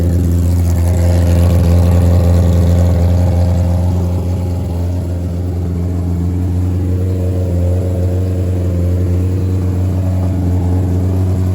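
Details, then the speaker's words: Revived nitrous Hayabusa drag bike: engine drones low with wavering pulse, sagging midway instead of holding steady; vacuum leak because nitrous lines were fitted without jets, so fittings weren't sealed. "I put the nitrous lines on there but didn't put jets in there."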